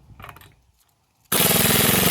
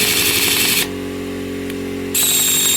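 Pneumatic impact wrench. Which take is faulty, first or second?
second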